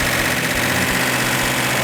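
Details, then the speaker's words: Rebuilt second-generation Hemi V8, sat 20 years after a fire, first fire-up: strong steady smooth idle, no knocks, ticks or stumbles; normal idle. "it was a pleasant pleasant welcome surprise to have a fire right up a little bit of timing on a little bit of carburetor adjustment and running the way it should"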